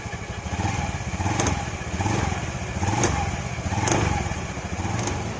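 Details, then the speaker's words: Honda Beat FI scooter at pull-away or light throttle: uneven rattling clatter about once a second from the CVT over the low engine note, traced to a worn CVT cover bearing shaft whose bearing keeps failing after replacement. "Jadi saat tarikan awal atau gas pelan itu bunyi kletek-kletek."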